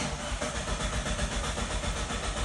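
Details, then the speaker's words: Mitsubishi Lancer 9 after ECU chip tune to Euro 2 emissions: starter cranks steadily, engine turns over but never fires; immobilizer had been disabled originally, car started after it was addressed. "зажигание предварительно выключим подождём некоторое время включаем если Заведётся всё отлично не заводится попытка номер два"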